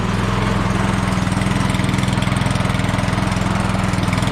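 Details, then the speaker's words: Troy-Bilt snowblower small single-cylinder engine, test run after making and fitting a new carburetor gasket to stop a gas leak, started on choke then choke turned down: quick, steady, even idle beat without stumbles; runs good, no leaks. "Turn the choke down. Ooh. That's that. Runs good."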